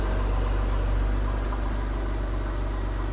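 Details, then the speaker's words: 2005 BMW X3 after restoration, reassembled and running: steady, even low idle with smooth rhythm about four pulses a second and no knocks or ticks; healthy engine. "sounds good now it's just about getting it cleaned up and you know making it look uh better"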